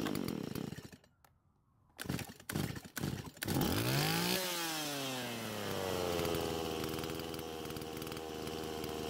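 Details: Stihl MS170 chainsaw after the fuel-line fitting fix: it revs, the pitch climbs then sags and dies under throttle; owner thinks the carb cannot supply enough fuel.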